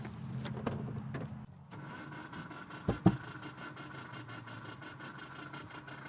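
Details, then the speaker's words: Subaru Forester engine after a broken timing belt, cranked with no start: starter spins fast and even with no compression resistance and no firing; no compression, bent valves, heads must be replaced. "and there you have it the sound of no compression the sound of bent valves"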